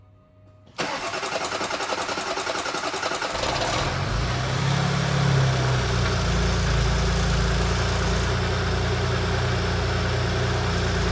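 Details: 2019 Porsche Cayenne S 2.9 V6 twin-turbo after rocker arm repair: starter cranks about three seconds, engine catches cleanly into a steady, even idle; the earlier ticking from a seized rocker arm hitting the camshaft is gone.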